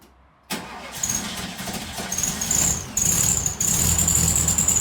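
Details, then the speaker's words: VW Beetle 1300, reassembled with the carburetor filled with fuel and wiring sorted, test start before timing is set: it runs ragged, hissy and surging, smelly, and won't hold an idle; cause not yet known. "Stinky. Just doesn't want to idle."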